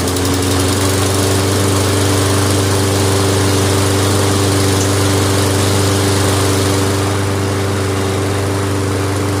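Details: Toro Recycler self-propelled mower, started outdoors near road traffic: smooth, even low drone with a steady beat and no knocks or misses; the engine runs healthy.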